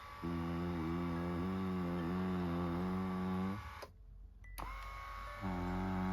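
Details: Lourdes massage cushion L (AX-HL168) after greasing the rail: steady low tonal buzz that cuts out then returns on restart; grease didn't help, worn up-down rollers leave a gap and lift under body weight, resonating in gear/motor area.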